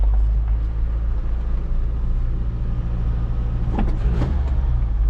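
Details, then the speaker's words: Pickup truck with rebuilt manual transmission, warmed up, window down, idle at carburetor factory setting (possibly too low): steady low engine rumble with no gear whine or grinding from the transmission. "you'll hear I mean it's just no sound from the transmission at all it just sounds sounds quiet"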